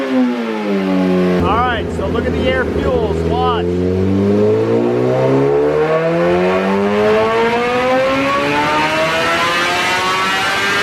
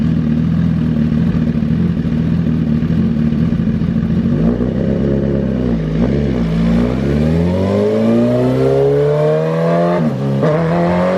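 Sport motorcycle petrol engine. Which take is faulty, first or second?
second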